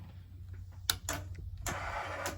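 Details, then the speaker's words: 1982 Honda GL1100 Goldwing long unused, cranked on a jumper with a dead battery: faint clicks and a few feeble whirs that never spin the engine up. Weak starter, with a connection problem at the starter suspected. "starter sounds weak so it's probably a connection problem at the starter because that doesn't sound good"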